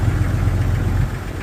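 Cold idle with a dull, regular low thumping under the engine note, typical of piston slap before the engine warms up.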